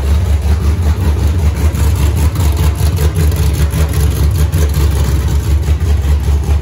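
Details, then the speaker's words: Freshly rebuilt 5.3 LS V8 first start with open headers, TPS corrected for aftermarket 90mm throttle body: deep, steady lopey idle, no misses or knocks; idles nicely, revs snappy, slight stumble returning to idle thought tunable via IAC. "so it is idling real nice right now it starts real nice it's snappy it revs up good"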